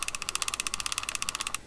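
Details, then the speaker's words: Rebuilt Shimano TLD 15 lever-drag reel, thought to be 1990s-era, with all bearings replaced and a carbon drag washer fitted; the ungreased clicker ticks evenly and crisply at about twelve per second with no grinding, and the reel now spins smoothly. "really smooth it just feels really good"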